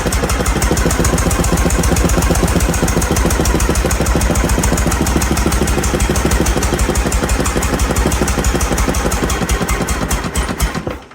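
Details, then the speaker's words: John Deere LA110 riding mower, Briggs & Stratton single after head gasket repair: loud lumpy stumbling beat about four pulses a second, then dies; owner first suspects head gasket, later suspects sheared flywheel key from under-torqued flywheel nut. "That made a bad sound. That made a bad sound. What have we got going on? Well, we got more problems. It almost sounds bad, like it blew a head gasket."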